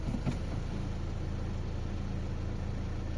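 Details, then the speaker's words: 2009 Honda Accord 2.2 i-DTEC 110 kW diesel with new ground cable idling with low, even clatter, no knocks or misses; starts the same in hard frosts, clutch fine; healthy engine. "Siis kui siin olid need suured, hiilgelt suured vägevad külmad, siis läks see täpselt samamoodi käima."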